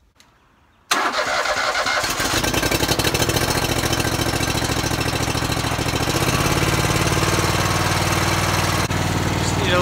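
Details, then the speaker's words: Riding lawn mower hotwired without a key: starter churns quickly for several seconds but the engine never catches. Cranks fine, no start, suspected not getting fuel; carb cleaner tried next. "doesn't sound like it wants to start sounds like it's not getting"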